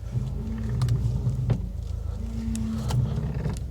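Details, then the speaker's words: 2018 Subaru WRX STI Spec R turning slowly on shiny concrete: low groaning chatter with light clicks, normal tire chatter rather than rack rattle or strut top bearing noise. "okay that's a common thing you get with tires chattering on shiny concrete"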